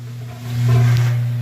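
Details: Washing machine with the lid switch bypassed: the motor runs with a low steady hum that swells, but there is no agitation or spin; the motor coupler is broken, and the fix is replacing it.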